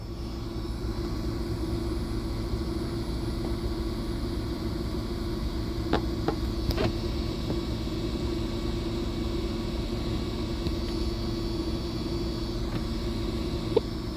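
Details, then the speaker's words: Newly replaced Delphi in-tank fuel pump on a 2002 Buick LeSabre, microphone close to pump: low steady quiet hum with faint even whine, no surging or buzzing; healthy pump. "Alright, I'm going to bring you in close to the pump so you can hear what the Delphi pump sounds like here."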